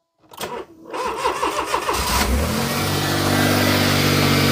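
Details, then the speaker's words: Petrol Smart ForTwo after reassembly, subframe refitted, following a seized alternator and failed starter: a couple of seconds of quick, even cranking, then it catches cleanly and settles to a steady idle. Normal start. "runs and starts they always do that by the way even the roads there seem to do that I'm not going to start and then it did so that's pleasing"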